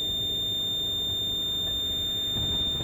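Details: 1999 Lexus GS300, 257,000 miles, ignition on: piercing incessant warning beep with warning lights and no brake assist, flagging a brake system (ABS) fault; ABS modulator assembly later replaced.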